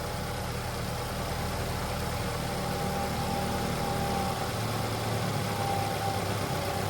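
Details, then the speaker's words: Cold start on a post-accident BMW 528i with the engine completely cold: smooth, even idle with a steady hum and no ticking, chain rattle or bearing whine. The owner had worried about the chain or bearings, but it sounds healthy. "And this is cold start. Engine is completely cold. And it sounds completely good. No noises. I don't hear any strange noise."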